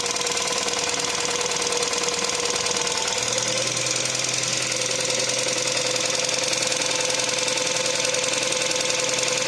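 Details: Volkswagen Caddy 1.2 TSI idling after oil priming, lifters bleeding up: light, fairly regular top-end ticking, about two taps a second, from a hydraulic lifter; noise fades within minutes (cold knock normally lasts 1–1.5 min).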